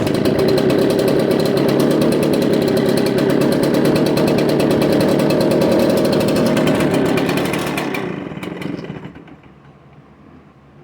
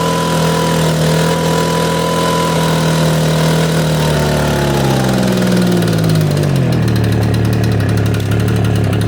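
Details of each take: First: Echo PB770H backpack blower two-stroke, restarted hot after 10–15 minutes' rest with switch on, no choke: fires and buzzes rough for several seconds, then sags and dies, won't stay running hot. Cause suspected, not confirmed. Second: Echo PB770H two-stroke blower with a hot-restart problem, after an adjustment screw was backed off a quarter turn, started with no prime or choke: note drops steadily from high revs to a settled, even idle; a clean, healthy hot start.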